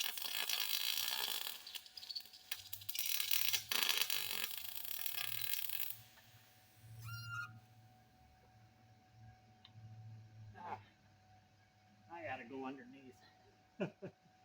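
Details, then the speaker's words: MIG welding universal motor mounts on a 1958 Ford Fairlane, ground clamp too far away and bumped so it lost good contact: the arc crackles, stutters and flutters instead of a steady sizzle. Arc flutter from a poor ground. "you hear a flutter in there that's a that's a mistake and i'll bring my ground closer when i move the ground back over here it's fighting for the ground that far so i need a better ground"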